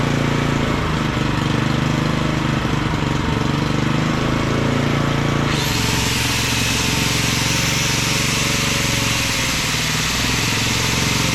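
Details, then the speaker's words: Auction-bought small generator after adding fuel: steady, even drone that firms up smoothly once a load goes on; slight fuel weep from the fuel bowl; normal healthy running. "well that ain't bad for H 20 bucks is it wow that sounds awesome"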